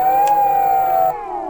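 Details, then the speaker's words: Meepo V2 Plus electric skateboard hub motor spun with no weight on it: smooth, steady high whine falling in pitch as the wheel coasts, no clicking; the clicking appears only under load. "there's no weight on it it won't make no noise like here"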